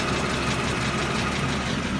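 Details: Mercedes W210 with M112 engine at steady idle: faint fast tick that appeared after the car sat, heard along the left exhaust manifold and loudest from underneath; owner suspects a manifold leak; oil found on spark plug threads of cylinders 1 and 3.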